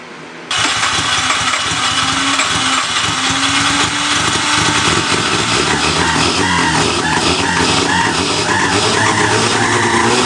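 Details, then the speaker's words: Overheated Mazda 12A rotary running on an engine stand with temporary wiring and garden-hose cooling: loud, rough running with wavering whistles from a vacuum leak, later fixed. "Hey, that's some major vacuum leaks right there. You hear the whistles?"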